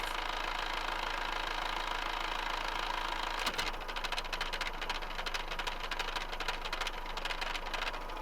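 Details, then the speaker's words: Amel Santorin sailboat diesel started cold after the engine mount repair and only a brief fuel bleed: a short change, then an even, steady clatter; the engine is running normally. "Aber die Maschine läuft. Wir haben die Maschine gestartet."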